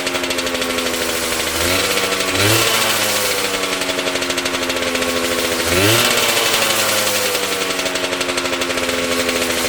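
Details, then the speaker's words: Homemade bike, Yamaha 125cc two-stroke (DT or RD YPVS) in old Tunturi frame, cold on choke: idle buzz with brief rasping bursts as revs blip; grinding when clutch lever pulled, cause unconfirmed. "easy as you could hear the grinding noise when I pulled the clutch I need to check it sometimes"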